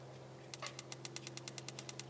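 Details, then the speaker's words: Roojer outdoor propane patio heater, new battery fitted in the igniter: quick, even snapping ticks about seven a second over a faint low hum; the igniter sparks repeatedly, as it should. "nice so that's not even a click one that produces one spark this is a repeated spark that's great"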